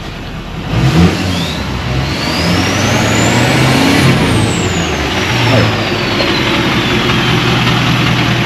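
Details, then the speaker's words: 2024 GMC 3500 cab-chassis with the L5P Duramax diesel, warm before an oil change: even idle, two clean short revs with a faint rising turbo whistle, then it settles. It sounds healthy. "We're going to change the oil. Boy, she sounds good. The more I love and a good sounding"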